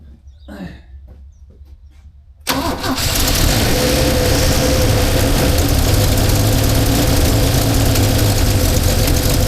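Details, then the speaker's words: 1977 Holden HX with a 202 engine, after a check of the vacuum advance, throttle cable not yet connected: catches quickly and runs steadily and evenly with no misses, running better, though the idle may need adjusting. "Well, that seems to be running better."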